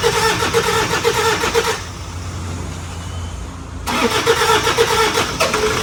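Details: 2005 Toyota Fortuner diesel with morning white smoke, after a set of injectors and return rings were replaced: it fires up and settles into a steady, even clatter with a short quieter dip. Starts and idles normally.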